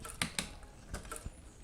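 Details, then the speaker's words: New bicycle's rear derailleur after adjusting the lower and upper limit screws and the barrel adjuster: crisp shifter clicks, the chain settles quickly with no grinding or skipping; gears shift smoothly. "Okay, the gear's changing like butter now."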